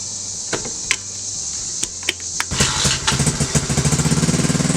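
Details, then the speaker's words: 2016 TAO pit bike, after it was brake cleaned and put back together: catches after a few stray pops, then revs crisply with quick even firing; normal running and revving. "Well, we brake cleaned the hell out of it, and we're putting it back together, and we're going to throw it back on the bike, and it's going to run like a top."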